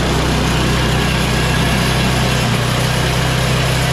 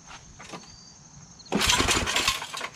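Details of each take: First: MTD Yard Machines 24-inch two-stage snow blower with 8 HP Tecumseh Snow King engine after tune-up with new carburetor, fuel line and oil change: steady, even low idle drone with no stumbles or hunting, running clean and healthy. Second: Yard Machines MTD 8HP Tecumseh Snow King 24" two-stage snow blower, not priming, carburetor likely clogged by stale fuel, full choke high throttle: quiet pause then harsh crinkly metallic rattle during a pull-start, a loose screw vibrating; engine doesn't start.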